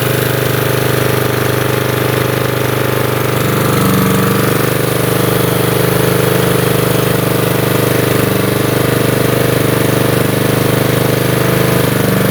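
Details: Lawnmower's small single-cylinder engine holding a steady, even putter with a firm rapid beat and no misses or surging, running as it should.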